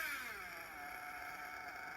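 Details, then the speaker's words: Nitro RC engine being tuned on the bench after a steady idle: on throttle its high, buzzy pitch sags and settles rather than climbing crisply, loading up because it is running rich. "it does idle steadily but then I get on the gas and it still seems that the engine is loading up that it's Rich so you can hear it"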